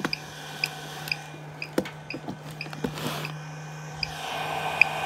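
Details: Everstart 400 W inverter in a homemade portable power bank, with the cable plugged into the wall: short high chirps repeating about every half second between handling clicks; the low-battery warning continues but more slowly than when unplugged.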